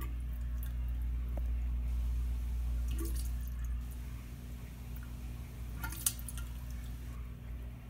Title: Drain in restroom making strange gurgling and burbling sounds